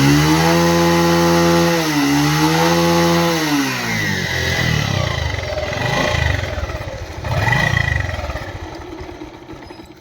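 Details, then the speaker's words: Bajaj Pulsar 150 single-cylinder at about 50,000 km, started and revved: loose metallic clatter (kadakada) from the engine, with smoke also coming out; timing chain rattle. "அதுபோக பாத்தீங்கன்னா இன்ஜின்ல வந்து ரொம்பவயும் கடகடன்னு sound கேக்குது."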